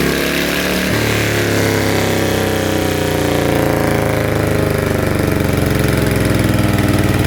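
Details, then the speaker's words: Yanmar single-cylinder diesel on a duck-type loader, rebuilt with 100 mm piston and No.2 cam (about one tooth off), with loud gears and hard first start; chugs smoothly and evenly as revs rise, no knocks or misses, running healthy. "อ่ะโอเคนะครับก็เสียงก็ประมาณนี้เนาะก็จะติดยากทีแรกครั้งนึงนะครับที่2ก็จะติดง่ายแล้วนะครับ"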